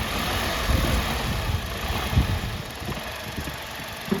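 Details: Tata Altroz while driving: loose low thumps and irregular rattles in the cabin over steady engine hum; owner suspects a cut rubber part, to be checked at the service centre, unconfirmed.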